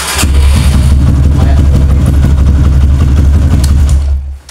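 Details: Kawasaki KLX with a new battery that drops overnight and won't crank in the morning, battery fully charged, repeated starter test: brief crank, engine catches at once and runs strong; 13 starts, battery judged normal for now.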